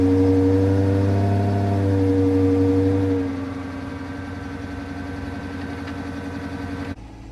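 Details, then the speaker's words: Marketplace vehicle at cold start, the seller having claimed no check engine light: it settles into a fast idle with a steady pulsing of about four beats a second and an uneven note. The check engine light is on, and the owner suspects it needs coils. "He said no check engine light, and look, there's a check engine light. Let me go get the reader real quick. Yeah, this mug need coils."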